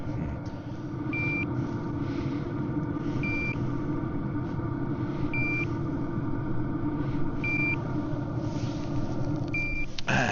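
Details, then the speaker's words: Toptes CT-580 carbon monoxide detector with a diesel heater running about 3 hours outside the tent, vent blowing 176° air: short high beeps about every two seconds over a low heater rumble; CO alarm sounding. "it's great to have something like this inside the tent when you're in a confined space you really need to worry about about this you do not want to go to sleep and then have a problem and not wake up"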